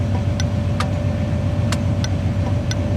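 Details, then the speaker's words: Vintage HM 552 thermal turn-signal flasher relay (third of three) in a 1981 vehicle with the engine idling at full charging voltage: sharp relay clicks roughly twice a second over the steady idle, flashing faster than with the engine off; a normal, healthy rate. "so now I'm going to start it up and uh see what they sound like with full full [Music] Voltage faster as"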